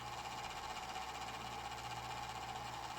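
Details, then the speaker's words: Golden Tee Fore arcade cabinet, powered up during repair: small fan hums with a rough, uneven buzz suggesting a dry or worn bearing; fan is very noisy, previously oiled, owner plans to oil it again. "that fan is atrocious I'm gonna have to fix that as well I'll just oil it again"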